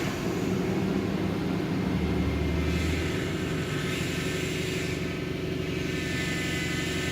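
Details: Lexus LS400 after a second ECU repair (capacitors replaced, then a further fault fixed): running about five minutes and coming up to temperature, it settles to a smooth, even low idle with no stumbles, misses or sputter.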